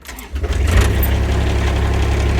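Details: Kubota RTV X1100C diesel, cold start below freezing, unwarmed, after fuel filter change (water-contaminated fuel) and Diesel Klean treatment; previously needed three to five tries: fires on first crank, settles into steady deep idle without stumbling.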